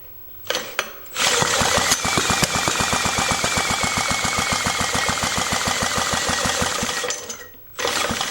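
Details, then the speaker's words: 1940s Lawson 2 hp single-cylinder engine, sat 40 years with no compression, first run after revival, no oil in it, weak battery, at idle: slow, even firing about four beats a second, running cleanly; normal idle. "Like I said, there's no oil in it. I shouldn't have done that, but it's not going to run fast enough to really cause any trouble. I have it at idle."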